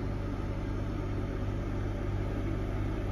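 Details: Heron 2.2 (old Air Command) van air conditioner running off lithium batteries through a Victron Multiplus inverter. After a big clunk as the compressor kicks in, it settles to a steady low hum with an even throb and no knock or rattle: normal running.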